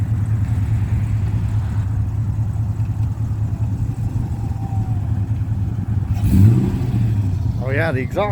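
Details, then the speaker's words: First fire-up of the Blu Bell project build with the exhaust just finished, run only briefly because there is no coolant yet: a steady, full, low rumble with one quick throttle blip and no rasp or drone. Keeping the one resonator makes it sound right rather than too loud. "That sounds really good. I think it sounds perfect right there. The other way without that one resonator was going to be too loud."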